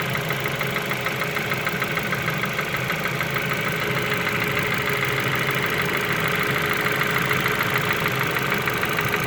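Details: Ford Focus 2 at steady idle with dull rhythmic knocking about three per second, an internal engine knock; cause suspected, not confirmed.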